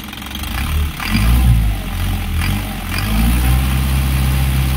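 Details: Isuzu 4HG1 diesel in Japan surplus truck, original never-overhauled engine with fresh oil change: deep clatter climbing cleanly through two quick blips, settling to steady idle, no knocks or misses; healthy engine.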